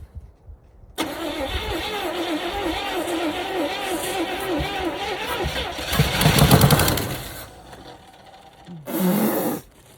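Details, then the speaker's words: 1977 Chevy Camaro base, 305 V8, parked almost 20 years, started on starting fluid: catches after a short crank, idles lumpily about five seconds, surges once and dies; then cranks briefly again. Starts, then stalls. "thank you it's idling oh it died"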